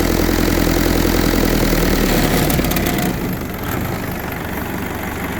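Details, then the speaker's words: 1952 Willys M38 with a Kubota V2203 diesel swap, idle dropped from about 1100 to about 700 rpm: slower, lumpier diesel beat. The low idle shakes the hood and whole body a decent amount. "you get a 700 RPM that shakes the hood shakes the whole body shakes everything kind of a decent amount"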